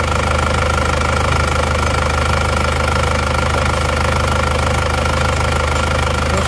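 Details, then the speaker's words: Isuzu Panther Touring diesel rebuilt (cylinder block bored, new liners) after overheating from coolant loss on the toll road, nozzle pressure readjusted from very low; even steady idle clatter with constant low hum, no misses, smooth. "Oke, sudah berjalan. Suaranya halus."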